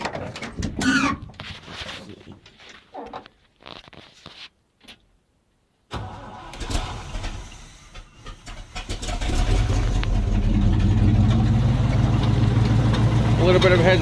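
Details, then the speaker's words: 1976 Chevy ramp truck 366 V8 after swapping Edelbrock for Rochester Quadrajet carb, float primed with electric pump, no choke cable; short stumbling crank then catches into a steady, even idle after slight hesitation. "bit of hesitation, but I fired right up."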